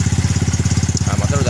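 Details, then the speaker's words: Yamaha Mio M3 scooter with 58 mm piston, modified camshaft and CVT, after camshaft, rocker arm and valve repair: even, steady putt-putt idle with throaty open exhaust and intake hiss, no rattle or knocking, now idles properly; normal idle. "sekarang alhamdulillah ya udah bersih suaranya cuman suara filter aja ya teman-teman sama knalpotnya"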